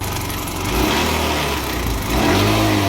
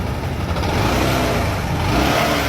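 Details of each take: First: Bajaj Discover 150 ST motorcycle engine revved repeatedly: metallic clatter riding on the engine, rising with revs; stretched cam chain slapping inside. Owner believed it was only a cam chain issue; the engine is worn. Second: Bajaj Discover 150 ST single-cylinder bike brought in for an ugly engine noise (owner says only cam chain); reference of how a healthy engine should sound: smooth, steady, quiet running with no ticking or clatter over the exhaust. Normal running.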